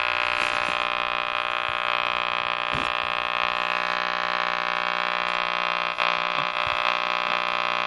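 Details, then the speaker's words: Air King model 4607 tube radio, tubes tested good, just switched on: steady buzzing hum with hiss and occasional crackles and no station yet while it takes a few minutes to warm up; static and hum. "You're going to hear a lot of static, and it takes a few minutes for anything to show up on the, for the radio to actually come alive."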